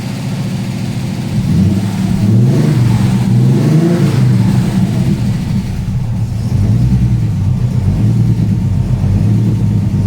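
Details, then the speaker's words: TVR 290S on MS2 (Megasquirt) engine management with TFI black CCD ignition module and wrapped manifolds, after months of trying: starts, settles to a steady idle, blips cleanly up and down with no stumbles or misses; normal idle and free revving, though more tuning is still needed. "okay so that's it after months of trying to get the tvr to run right it's idling free revan fine now it starts up really well as well"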